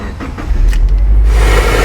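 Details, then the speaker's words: Used car being checked before purchase, engine cold, run under a minute: short crank catches into a steady, slightly raised low rumble at fast warm-up idle, no ticking, rattling or knocking; normal cold start and fast idle. "don't hear any ticking or loud noises. Still a little bit loud because it's running at a higher idle to warm it up."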